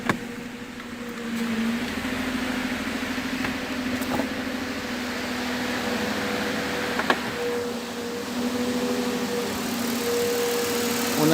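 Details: 2008 Mercedes-Benz E280 after misfire repair (previously unstable idle, misfires cylinders 1–6, live misfire counts now zero; injectors and plugs fine): petrol engine idles smoothly and evenly, steady hum, no knocks or stumbles; normal idle.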